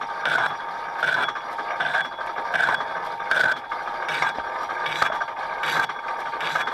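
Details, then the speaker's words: Machining a hard bore that is out of round (egg-shaped), cutting gently: scraping rattles in regular bursts, a little over one per second, as the tool chatters on the bore; will recut until round. "Gently, because it's hard, so you can hear it, you see it back there rattling like that."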